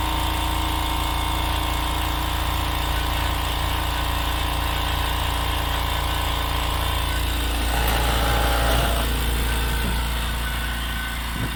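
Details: California Air Tools 6310 ultra quiet air compressor: steady low hum with a soft even drone and a brief louder swell near the end, like a fridge compressor; normal running.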